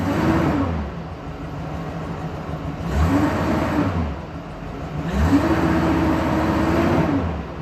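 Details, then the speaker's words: 2001 Silverado after repair, P0300 cleared, brake-torqued under load: three smooth rev rises and falls climbing cleanly without stumbling; scanner shows a few minor misfires, nothing significant; runs normally under load. "but nothing significant."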